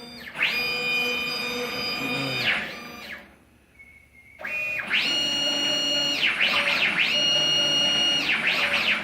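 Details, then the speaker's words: CNC plasma table with ClearPath servo motors on new mounts, trial program run with the plasma off, traveling around 47 holes: clean electric whine steady during moves, swooping at direction changes; normal servo travel. "So, as you can see, just running. That's traveling around 47 holes."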